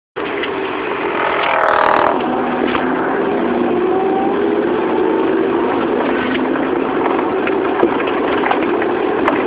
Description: Proton Saga 1994 1.5L Manual giving out weird spinning noise when accelerate... anyone can trouble shoot?